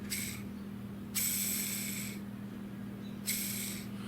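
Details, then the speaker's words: Removed, almost 7-year-old bearing cartridge from a Davis Vantage Pro2 6410 anemometer spun by hand: each spin gives a gritty, raspy hiss of about a second that fades as it slows; a worn-out bearing needing replacement. "and here's old one right here you're gonna like so you can hear it it was time"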